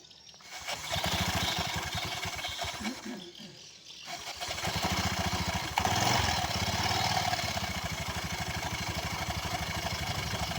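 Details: Newly bought Honda Vario scooter idling with CVT cover open: rough clattery rasping chatter from the belt drive; the clutch shoes don't spin freely and drag, turning the rear wheel.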